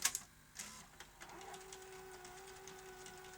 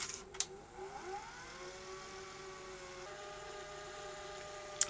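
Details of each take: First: Sony SL-HF950 SuperBeta Betamax VCR rewinding: clicks, then a whirring transport with a hum and irregular ticks; tape drags unevenly and snags on a head, and the machine is leaving tape loops and the capstan servo is faulty. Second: Sony SL-HF950 SuperBeta Betamax VCR under repair, tape rewinding smoothly with a quiet whirr rising and holding steady after earlier sticking; reel drive judged probably okay, capstan servo still faulty and squealing.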